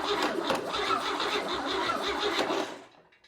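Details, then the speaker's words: Chevy 235 inline-6 from a 1961 Apache pickup: starter churns at a steady rate but it never catches, just cranks then stops; fuel delivery problem suspected. "So, it seems to be firing correctly. So, I think we have a fuel delivery problem."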